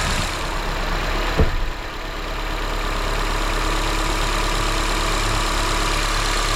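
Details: 2006 Honda CR-V after VTEC valve replacement and oil change, first start; deep, even idle rumble with a smooth steady beat after catching, no ticking or misses; normal healthy idle.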